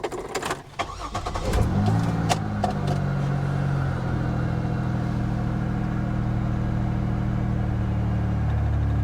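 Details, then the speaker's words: 1980s Pontiac Firebird, long-sitting abandoned car at auction, restart: short crank, quick catch with a small flare, then a settled even idle; started rough earlier but now runs really well. "it runs really really well it started out pretty rough but not bad at all now"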